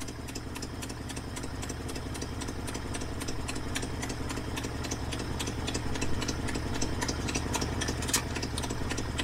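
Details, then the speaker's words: 1968 Ford Ranchero, just started for the drive home, idle set low and not yet warmed up: rough idle with a sharp regular ticking puff, three or four a second, in time with the engine; exhaust donut gasket leaking badly. "Man, that exhaust donut is leaking bad."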